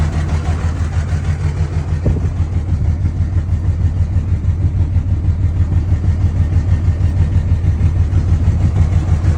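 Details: 2003 Ram 2500 two-wheel-drive Cummins diesel, 302 on the clock, about 50°F, weak batteries, fresh oil change: pulsing lope at about three beats per second in the idle clatter. Rough idle and throttle issue with no check-engine light and no smoke; cause unclear.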